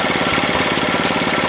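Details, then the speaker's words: 1967 Honda CL90 single-cylinder, restoration in progress, not fully warmed up: fast choppy patter with an occasional uneven beat, slightly missing and feeling off; misfire, cause not yet worked out. "can hear it missing a little bit it always feels a little funny too so things aren't quite worked out"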